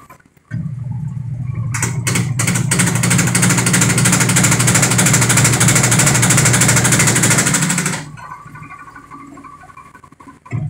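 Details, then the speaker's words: Sharp automatic washing machine over 10 years old, spin-dry: spin roars up with hard knocks early, stopping and starting as it builds speed, then loud rough whir; tub wobbles and hits the cabinet, defective tub assembly. "Yan, sobrang mapalag yung kanyang tab, kaya bumabangga siya, kaya nag-iingay siya. So lalong lalakas yan kapag yan ay nag-steady na ng mabilis."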